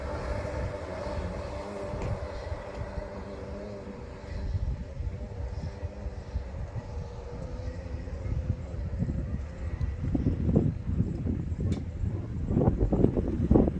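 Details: Yamaha XL 800 personal watercraft on water test after engine rebuild: steady low drone holding even, rising smoothly with throttle amid water slap, no misfire; normal running.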